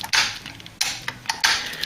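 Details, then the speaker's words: Ford Cortina Mk3 under restoration, electrical test before dash refit: the torque-converter lockup solenoid on the gearbox gives crisp clicks at uneven intervals. The speed simulator reads about 55 mph and pressing the brake knocks lockup out. Normal solenoid switching. "you can hear it clicking on the gear box so you can hear the solenoid going on the gearbox"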